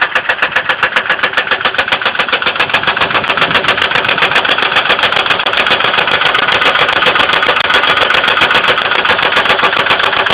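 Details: 2002 Ford Windstar 3.8L ticking at idle: steady idle with sharp, even top-end tapping about three to four per second; oil level raised with light-brown milky oil appearing overnight, coolant not significantly low; cause unconfirmed.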